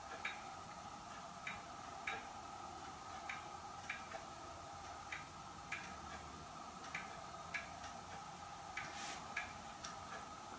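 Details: Hermle weight-driven grandfather clock movement on a homemade test stand (Ford F350 rotor-disc base, 2x4 post), just levelled, pendulum fitted: crisp, evenly spaced ticks about twice a second, no stumbles; normal ticking, running in beat.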